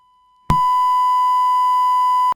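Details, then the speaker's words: DBX 286s channel strip input stage/preamp fault, tested with a constant test tone at -12 dB: silence, a sharp pop, then the tone returns at full level; signal cuts out intermittently. "i just let it run and suddenly let's hear again this popping sound and it suddenly works again"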